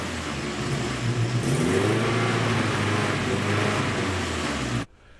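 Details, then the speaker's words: 1972 Datsun 510 with a KA24DET turbo swap, just fired up after the CX Racing manifold gaskets were replaced with aftermarket stainless ones. Idle and blips give a steady, even note with no audible exhaust leak; it is sealed. "right it seems like those gaskets fixed the problem it's actually sealed up under the hood now I don't hear any obvious exhaust leaks"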